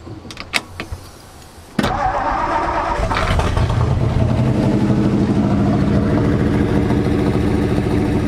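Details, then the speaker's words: 1964 Ford F250 dump truck Y-block V8 with Motorcraft two-barrel carburetor, first run after sitting over a decade, on choke: stumbling catch, then fast running idle with light sewing-machine ticking; valves apparently freed up. Cause suspected, not confirmed. "so i think they freed up you can hear them typical y block sounds like a sewing machine that's kevin's valve dance"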